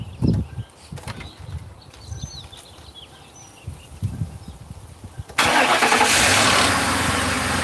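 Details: 2005 Ford Crown Victoria police V8 first start after replacing shorted number 4 coil and plug that grounded all eight coils, blew fuse 9 and set codes P0351-P0358; catches right away into steady smooth idle: normal idle.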